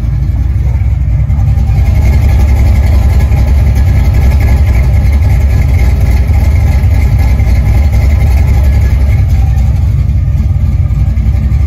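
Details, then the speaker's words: Ford 5.0 302 V8 at idle after refitting a roller rocker that came off from improper installation and a loose Allen-key lock; deep, even burble about 3.5 pulses a second, quiet with no lifter noise or ticking, back to normal. "It's back to its normal old self. It's quiet, no lifter noise. I was ready to get a whole new motor yesterday."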